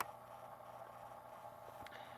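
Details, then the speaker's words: 1970 Panasonic RQ-209AS cassette recorder playing, heard close up inside the cassette mechanism after cleaning, head demagnetizing, pinch roller rejuvenation and a new belt: quiet, steady whir with faint even motor hum, no flutter or squeal; healthy transport. "and it is nice and solid and oddly enough you hear how the motor sounds listen that's exactly the one same way the one I had back in the day sounded"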